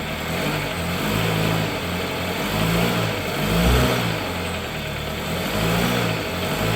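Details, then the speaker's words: 2013 Dodge Dart with motor mount noise, started and shifted into gear and reverse: rough, uneven idle drone with dull low thumps surging on engagement. Passenger-side engine mount found completely collapsed, bottomed out and hitting the aluminum part. "see if we can kind of capture this noise here I'm going to kind of like crank the car and put it in gear and and reverse"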